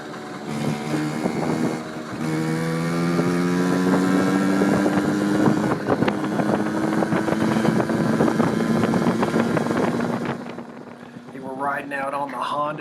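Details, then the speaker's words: 1981 Honda Express NA50 two-speed moped after carb cleaning, on shakedown ride: buzzy two-stroke note climbs smoothly pulling away, wind noise, no stumble or miss; acceleration and top speed good, engine running clean. "so riding real nice probably need to tighten up the brakes a little bit um acceleration is good top speed is pretty good"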